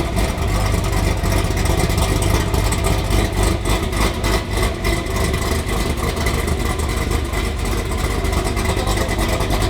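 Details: ZL1 Camaro V8 after replacing a bad mass airflow sensor, which had fouled all spark plugs black from running too rich: a deep, even, sealed exhaust burble with no ticking or puffing from the headers. Normal exhaust note.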